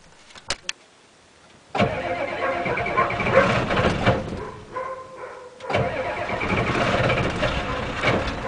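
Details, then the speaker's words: 1987 Ford F-250 6.9L IDI diesel, 5-speed, cold start after sitting 5 months on #2 diesel, about 40°F, glow plugs cycled: clicks, cranking, then catches and clatters unevenly; a little rough on cold start, earlier attempt failed from suspected gelled fuel. "more and there we go little raw but not bad remember that had been sitting 5 months and here she be"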